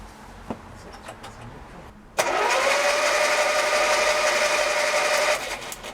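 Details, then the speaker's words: 1958 Austin Healey Frogeye Sprite engine, long out of use, cranked on the key with plugs out to bed in: starter spins it at a steady even whirr about three seconds, no binding or clunks; ignition sparking; turns over freely. "Well, that's something. And I could hear it sparking as well, actually, so there's something coming out of the ignition because the low tensions are connected. So that seems to spin over."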